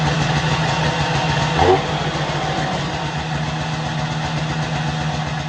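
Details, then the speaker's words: Snowmobile test run after replacing the cooling fan bearings and retensioning the belt: a steady, even two-stroke idle with a smooth buzzing beat and no grinding or squealing, a successful repair. "Yeah, I'd call that a success."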